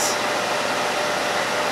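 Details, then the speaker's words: Harbor Freight Central Machinery dust collector after seized motor bearings were replaced with SKF Explorer 6205 front and 6204 rear: smooth, even air whoosh with no rumble, tick or grind; motor runs cleanly. "the loudest noise is the air flowing over it perfect"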